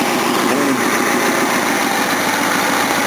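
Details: Engine, valves readjusted hot after a test drive on pump gas, having been set cold before: steady, even idle with a light, fine ticking from the top end; valves properly set, just normal noise.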